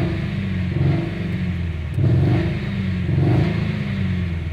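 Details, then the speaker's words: Dodge Jeep 2.4 with replaced engine and computer, after clearing codes with four returning: uneven lumpy rumble that surges and sags, running rough and missing. "se oye algo muy feo vamos a ver ya van estos cuatro"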